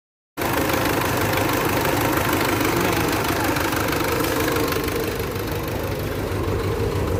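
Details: Mitsubishi engine with suspected timing belt issue, under diagnosis for tune-up and valve work: starts and idles with a loose, uneven knock about three or four per second; source not pinned down.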